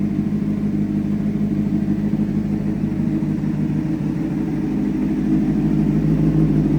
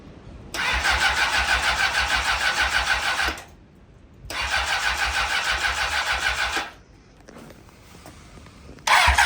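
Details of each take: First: Rebuilt 2004 Honda CBR600RR four-cylinder with 10,882 miles, first run after an engine rebuild, at about 160°: runs smooth and even with a low rumble that rises slightly, no knocks or misfires; still smoking a little, but running healthy. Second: Honda CBR600RR, rebuilt after blowing up, first start attempt without coolant: three cranking bursts of about three seconds, steady starter whir, never fires; sounds like no fuel delivery, weak battery also suspected.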